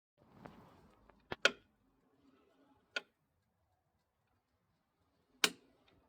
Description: Any ideas what this might be ? It seems to come from around the clutch area and only clicks when rotating forwards. Sometimes it doesn't do it at all.